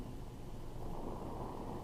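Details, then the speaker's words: Oxy-acetylene welding torch adjusted past neutral toward excess oxygen: steady low rushing roar with no rhythm, louder than a neutral flame; an oxidizing flame, bad for welding as oxygen contaminates the weld and makes it brittle. "So you can hear the flame now, right? That's an oxidizing flame. So the oxidizing flame is not good for welding because it'll actually contaminate the weld with oxygen, making it brittle, right?"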